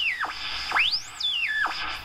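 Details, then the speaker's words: Radio local oscillator placed near another AM radio tuned to about 90 on the dial: a clear whistle swoops up and down as the band is tuned. The interference proves the oscillator is working. "interference so that proves that this oscillator is working and of course we know that"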